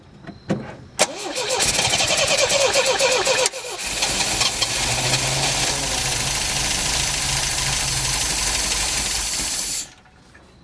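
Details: After whacking the fuel pump to get fuel to the filter, clutch in, choke not found: starter churns fast for several seconds, engine catches briefly but won't settle into a run; hard starting.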